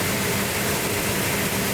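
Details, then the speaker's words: Restored high-school car started under its own power with no primer fuel, cold, choke held, distributor being adjusted: even, steady engine note under a loud hiss, no misses or knocks; healthy, smooth idle. "Look at that. Wow. You like that, Justin? Sounds healthy. What? Sounds healthy. What?"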